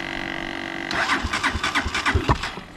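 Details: Unidentified, probably Chinese small single four-wheeler, cold day, after new fuse fixed wiring: turns over and catches on choke, uneven blips then steady warm-up idle before oil change; normal cold start.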